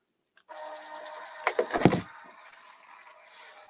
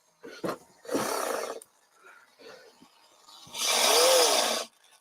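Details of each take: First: RC plane servo (aileron) being cycled on the bench: short burst of gritty whirring and clicks as it sweeps and stops; it works, just very noisy through the gears. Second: RC plane aileron servo on the workbench cycling; short rough buzzing bursts, last with a wavering whine, sounds like grinding in the gear train; owner suspects a bad gear, not confirmed.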